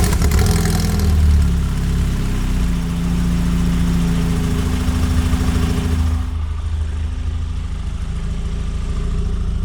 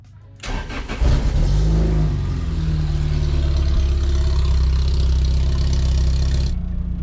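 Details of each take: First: Lotus Elise with new header and Larini exhaust, after repairing a broken exhaust hanger and moving the tips off the rear panel they rubbed against; engine starts and settles into a steady, even idle with a smooth exhaust note and no rattle. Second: Lotus Elise on a cold January morning cranks and catches into a fast cold idle with a buzzy rattle: exhaust tips rub the rear panel after a new header upset the Larini exhaust geometry and broke a hanger; plan to cut, angle and reweld the tips.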